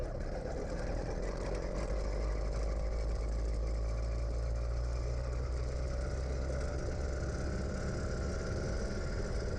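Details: Gas-powered motorized bicycle on premium fuel, recorded while riding; steady, even buzzing two-stroke drone with low rumble, no misses or knocks: running well.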